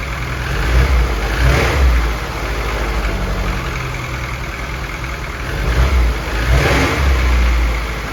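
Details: F24 newly built four-cylinder, first start-up run: after brief revs it settles into a steady low idle, no knocks or ticks, no leaks; smooth and healthy, valve lash to be checked after break-in.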